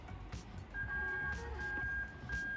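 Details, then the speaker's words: Lexus IS300 with GS430 3UZ-FE VVT-i plug-and-play engine harness, manual gearbox: dash warning buzzer gives clear high-pitched beeps in steady bursts when connectors are joined, working properly during harness testing. "there you go you can hear that annoying beeping sound perfect"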